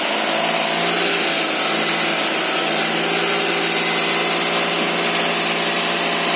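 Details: Daihatsu Ayla on its first start after water got into the engine: a steady, even engine note that holds without misses or hunting. The engine runs stable and the check-engine light shows all clear.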